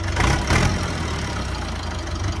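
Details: Massey Ferguson 290 diesel tractor after bleeding air from the injector lines to fix a no-start: deep, even diesel chug settling into a steady idle with no knocks or misses. Normal, healthy idle.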